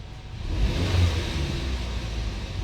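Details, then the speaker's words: 2009 Chevrolet Malibu after idle relearn with Autel Elite scanner, fixing high idle: light throttle blip rises smoothly and drops straight back to calm, even idle with no hang; rev response normal. "So right now it's fine. Let me just give it a little bit of throttle,"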